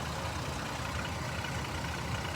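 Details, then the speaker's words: Jeep Liberty with a rough, even idle and a hard, diesel-like clatter over the whole engine. Owner wonders about detonation, pre-ignition or valve tapping and suspects a weak cylinder from a bad coil or spark plug. Unconfirmed. "is that detonation is that pre-ignition are my valves tapping"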